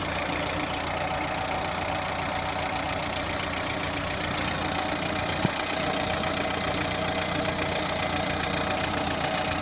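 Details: Lada Priora at idle: a steady tapping knock of about four per second rides over the engine note, a knock inside the engine.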